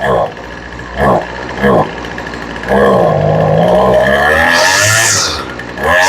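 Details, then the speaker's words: Poulan Pro weed eater being carb-tuned after sitting, off choke: small two-stroke blips, then revs to full throttle with an uneven ba-ba-ba burble at the top, meaning the high-speed mixture is slightly rich. "Okay, you can hear it's got a little bit of a ba-ba-ba-ba at the top. That means it's a little rich."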